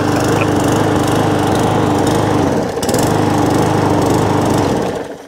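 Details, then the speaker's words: Small lawnmower engine that runs but hunts and surges, its note sagging and picking back up instead of holding steady, with plenty of fuel in the tank; cause not yet confirmed. "it's all complete all runs but it was hunting and surging and mucking about"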